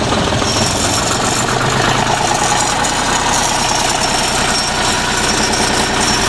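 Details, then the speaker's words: Deutz diesel generator set on first start-up after repair, at low speed while producing over 50 volts: even diesel clatter at a steady idle, regular and quiet with no loud knock or miss; engine runs healthy. "screwdriver. Pretty quiet."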